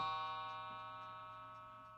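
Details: Smiths Sectric electric synchronous mantel clock, gunky and on old dirty wiring, after gunk was cleaned from underneath and it was oiled: a clear bell-like chime fades smoothly over two seconds with no buzz or rattle, so the chime works normally.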